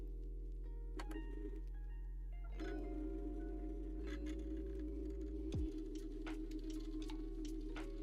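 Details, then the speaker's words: Bambu Lab A1 or P1S 3D printer in for repair, loading filament: harsh buzzing from feed motor with scattered sharp clicks; extruder skipping or grinding, cause unclear, needs repair. "That's not a good sound. I'm not certain if you guys can hear that. The extruder is very upset on this machine."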